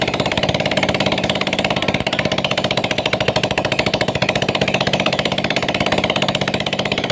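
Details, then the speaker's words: Yamaha Mio Sporty scooter, single-cylinder, idling with exhaust refitted after rocker arms (in and out) were installed and oiled, starting on the first kick; quick, even putter with a steady beat, no misses or rattles, smooth and normal after the fix. "Dan alhamdulillah suara motor sudah sangat halus dan sudah normal sobat mekanik ya."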